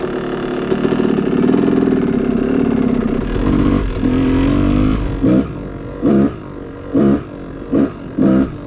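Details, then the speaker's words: Hot 2004 Yamaha YZ250 two-stroke still rich after leaner jetting: uneven burble off idle, with throttle blips that bog and load up before clearing; owner suspects a degraded jet block gasket. "Still a little rich somewhere. It's loading up."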